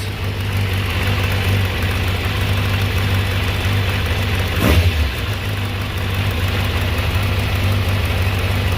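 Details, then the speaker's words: Kawasaki ZZR600 four-carb engine warming up, after a fuel-filter change: steady, even idle with no hunting, carbs reading stable and close; owner thinks the old filter was clogged; normal idle. "oh yeah dude changing the filter actually makes the idle sound better boy that filter might have been pretty darn clogged up"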